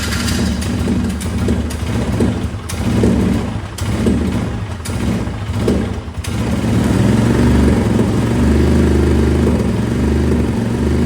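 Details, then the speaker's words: Old Polaris Ranger UTV: uneven, lumpy running with a recurring soft tap that settles as revs change; owner suspects a worn exhaust cam lobe, common on these, and plans to tear it down. "unfortunately I think uh I think we got a cam problem just the way that's doing it's like there's something I don't know I've had two of them do this and it was cam"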